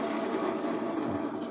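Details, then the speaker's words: Honda Moove scooter, restarted after being parked, gives a steady starter whir but won't fire, alongside stumbling and weak acceleration; battery was freshly charged, and the kick start also fails. "แต่พอบางทีเราขับไปจอดไว้เฉยๆแล้วพอสตาร์ทใหม่ปรากฏว่าสตาร์ทติดยากนะครับอันนี้นี่นี่แบบนี้"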